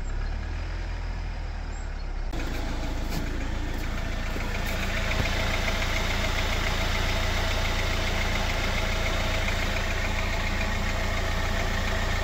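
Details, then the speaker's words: Jeep Wrangler JL 2.0 engine at cold idle: steady light tapping, about three to four per second, over the low engine note; oil level checked at exactly half; cold-start knock of unknown source that disappears once warm. "И сейчас этого звука нет. Вот сейчас мотор работает идеально. То есть на холодную он действительно постукивает."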